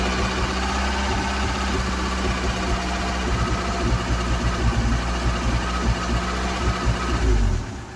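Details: Ford Cortina: engine fires and holds a fast idle, but the beat stays uneven with lumpy stumbles through the revs; still running a little rough, cause not yet found.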